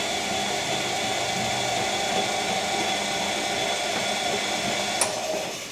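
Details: Bosch Classic washing machine after motor repair, door seal temporarily fixed with gasket maker (small seal leak remains): smooth even motor whir and steady drum hum, no grinding, scraping or knocking; earlier motor squeak appears gone after spin; washer running normally.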